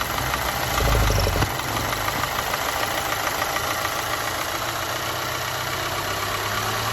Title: Audi A4 B8 1.8TFSI rough idle oil lid test